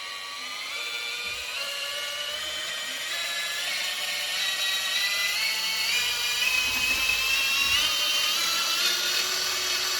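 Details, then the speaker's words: RC crawler with new Hobbywing QuicRun Fusion 2-in-1 1800KV brushless motor/ESC: clean whine climbing smoothly with throttle; speed control absolutely silent, only the tyre rubbing on something is audible. "and if you forever listen to this the speed control as well absolutely silent guys what you can hear is the tyre rubbing on something"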